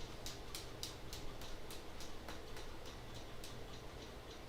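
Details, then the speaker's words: Mid-2011 27-inch iMac during a Lion install, drive reportedly new: faint sharp ticks about three a second over a quiet hum; clicking hard drive, cause unknown. "Is that the hard drive? Were you like playing the drums or something?"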